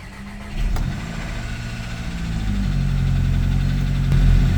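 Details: Volkswagen Jetta after reconnecting the PCV valve cranks, catches quickly, flares, then settles to a steady low idle with no misfire; slight lifter-like rattle and oil leak from balance shaft tensioner noted after.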